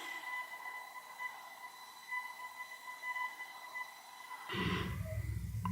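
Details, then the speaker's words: Steady thin whistle of exactly 2001 Hz in a garage, picked up only by one microphone with the garage door acting as an amplifier; sometimes constant, sometimes Morse-like; origin unidentified. "it happens to be that my garage door somehow acts as a frequency amplifier that only this microphone picks up and it happens to be exactly 2001 Hertz"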